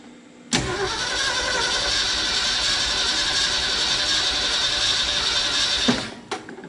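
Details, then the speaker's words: 1969 Ford F-250 with points ignition, sitting since 2001: steady cranking about three and a half beats a second for five seconds, never fires; lost spark suspected, not confirmed. "we might have lost spark"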